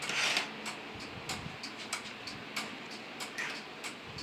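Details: Simplex 2001 fire alarm panel with march time card, working after two resistors on the signal card were cut; strobe at 1575 candela: crisp, evenly spaced relay clicks about ninety a minute in a quiet room, normal march-time pulsing.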